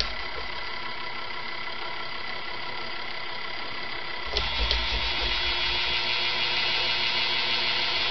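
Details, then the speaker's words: 1995 Casablanca Veranda ceiling fan, K55 stack motor, after oiling bearings with WD-40 then Zoom Spout oil: steady motor hum with faint rough hiss, a little bearing noise remains but runs smoothly. "so a little bearing noise"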